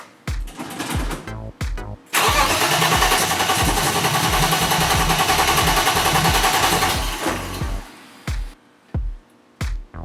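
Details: BMW E30 with Link ECU, cranking: starter chugs steadily about two beats a second, a brief louder surge, then more cranking with no catch; crank-no-start from loose crank trigger wheel, old bad fuel also present.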